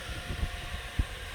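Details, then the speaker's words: Asus GTX 980 Ti Strix GPU after fan replacement and thermal paste change, fans near 100%: low soft even whoosh with no rattling, ticking or whining; much quieter than before, normal fan operation. "now it's much much quieter than it was even before i replace a fan blade so that is what i considered it successful"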